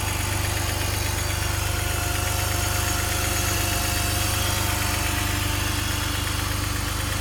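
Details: BMW M54B30 engine at cold idle: steady, fairly even knock about three or four times a second over the engine note; cause not identified.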